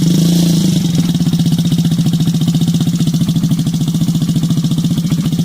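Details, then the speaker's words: Yamaha Zuma scooter with a GY6 engine swap, first crank after new stator, starter solenoid and fuel pump: loud, even putt-putt idle at about 220 pulses a minute, with some exhaust smoke from PB Blaster; runs smoothly, normal idle. "sucker is loud got a little bit of smoke coming out of the exhaust pipe that's from that pb blaster"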